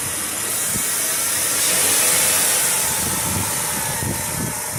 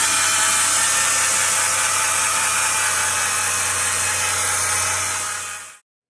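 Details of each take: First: 2010 Chrysler Town & Country, 3.8L V6, 110,000 miles, after fitting a second replacement 160 amp alternator (the first remanufactured one was loud and ran very hot): steady even idle, smooth hiss, no whine or squeal; normal. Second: A 2010 Chrysler Town & Country 3.8L V6 at 110,000 miles gives a loud, steady whirring grind with a hiss at idle, two days after purchase. The alternator bearing is failing.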